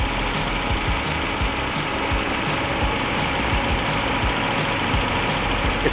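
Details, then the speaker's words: B20 (CR-V engine) swapped Honda Civic Wagon RT4WD, warm idle around 750–790 rpm, smooth even low hum with no knocks or misses through straight pipe and muffler, after the battery was disconnected overnight fixed the idle. "id this Swap and this is the first time that this car is running perfectly listen to that you can't even it's like barely even noticeable"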